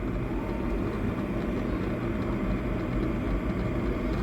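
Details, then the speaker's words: Karaca Cool Touch double-wall 2200W temperature-adjustable electric kettle heating water past 91 °C toward 100 °C: soft, even, low rush of boiling with no loud rumbling or banging; normal quiet kettle boiling. "dışarıya çok fazla ses vermeyen gayet sakin ve güzel bir şekilde kettle suyunu kaynatıyor dışarı çok gümbür gümbür bir sesi gelmiyor"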